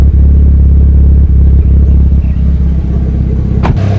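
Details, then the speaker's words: Evo 9 MR 4G63 with new GSC S2 cams, springs and retainers and an open downpipe on the turbo, warm after about 20 minutes: deep, even idle with no ticks, knocks or stumbles; AFR about 11, slightly rich; running normally. "car running for about good 20 minutes. So far the car is running good. There's no any issues."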